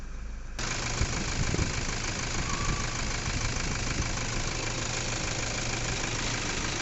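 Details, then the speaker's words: Toyota Fortuner diesel after repair of a knocking noise with a pickup problem and scanner fault code; diesel checked for water and injectors inspected: steady, even idle with no knocking above normal clatter, now quiet. "तो गाड़ी तो अभी एकदम silent है"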